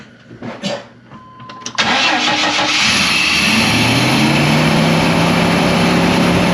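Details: S-10 truck that broke down on the freeway; after refitting the distributor cap with paste and trying the old coil, it cranks briefly, catches and settles into a steady, even idle with no misses or knocks; starts and runs fine.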